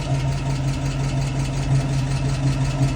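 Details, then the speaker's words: 1966 Mustang after half-shaft bearing replacement, rear disc brake conversion and differential maintenance, driving slowly: steady, smooth low hum with no whine, rumble or vibration from the rear axle; repair successful, normal running. "well this is a success the international works really nice and quiet no more noise no more vibration everything is super nice"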